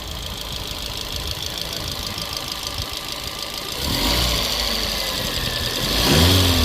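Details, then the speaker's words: 2012 Fiat 500 with 116,000 on it, engine cover and breather off: fast even valvetrain ticking over a steady idle, rising with light revs; normal for this engine, though it was reportedly smoking before it quit running. "That honestly sounds normal. They just normally have an engine cover and a breather on top of that, so you don't hear all that, but they all sound like that."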